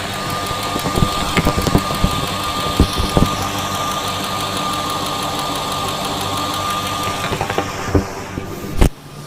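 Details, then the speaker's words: 2000 Ford F-250 SD 5.4L (330 CI) V8 at idle, injectors with 260,000 miles, rough intermittent idle and a miss: fast even ticking, all injectors sounding similar; clogged injector suspected but not identified. "Okay, so all of the injectors do sound similar. You can hear a distinct ticking."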